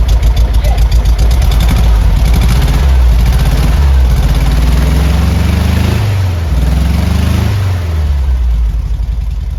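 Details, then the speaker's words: 1972 VW Beetle with heavy end float, on its first start after about three and a half years: a deep, even exhaust note that rises and falls cleanly with throttle, responsive, with no misses or knocks. It runs normally. "Oh, he sounds so beautiful through the exhaust."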